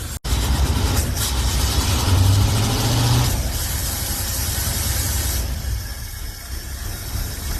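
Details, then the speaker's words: Hot-rod V8 at a lumpy, stumbling idle that never settles: misfire, owner thinks it is firing on only six of eight cylinders, no vacuum leaks; suspects flooding, plans to check every cylinder is firing. "I don't think it's firing on all eight I'm going to have to check see if all the sun there are firing and then see what the dildo might be"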